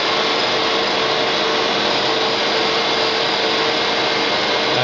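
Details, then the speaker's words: Electric-converted Nissan Sentra, 120 V battery system: AC compressor starts slowly on a speed control at about 6 V, then runs with a steady, even mid-pitched electric whir; stationary, before the drive test, compressor running normally. "so everything seems fine the compressor sto working so let me see if I caness you can hear the compressor now"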